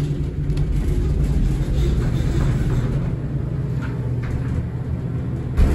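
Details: 1964-installed hydraulic elevator, heard during a car run: a heavy, uneven low rumble with bumps and thumps throughout, very noisy and shaky ride.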